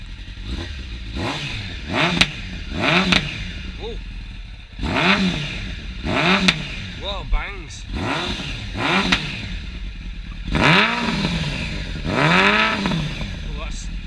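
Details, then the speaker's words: 2006 Suzuki Bandit 650S with a newly fitted stainless Delkevic race can, baffle removed, revved in the rain: repeated sharp revs climbing and falling with a loud raw exhaust bark. Judged too loud, louder than an R1, so the baffle may go back in. "Oh my god, that sounds noisy. I think that's too loud. That sounds brilliant, but I think it's too loud. I think I'm going to have to put the baffle back in."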